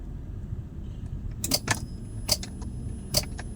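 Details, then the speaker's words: Daihatsu Grand Max, ignition on with all indicators lit, sharp clicks with no cranking: starter engages but will not turn, likely from worn-out carbon brushes. "Nah, dia hanya ada bunyi stack-stack saja tapi starternya tidak mau berfungsi."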